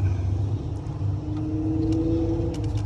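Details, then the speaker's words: Wife's Ford Crown Victoria V8 at idle after flashing then solid check engine light: code P0308, cylinder 8 misfire giving a low, uneven, choppy rumble; owner plans to replace the cylinder 8 ignition coil (new coil and spark plug bought). "all right guys i got the code red and it was p0308 which is a misfire on your engine and the p0308 would be cylinder eight"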